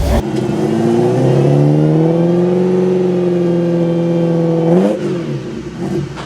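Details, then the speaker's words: Ferrari 308 after an engine rebuild, with new coils fitted; the engine revs and drops back with a flat, uneven, stumbling note, down on power and misfiring, apparently not running on all cylinders. "It is running, but I don't think it's running on all the cylinders."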